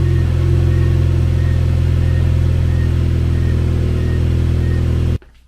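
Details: Chevrolet Cobalt SS (LSJ supercharged, just reassembled) cranks steadily about four beats a second for five seconds, then stops without catching; intermittent no-start, owner suspected low battery but unconfirmed after two days of diagnosis.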